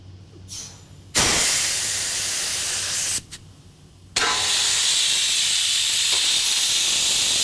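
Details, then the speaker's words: Clemco blast machine gives loud bursts of airy hiss with a thin squeal while blasting, an audible sign of lost control pressure. If it continues, the diaphragm can wear a hole through it, as if drilled. "off that squeal is kind of an audible signal that you're losing control pressure and what will happen actually with these diaphragms they'll RAR a hole"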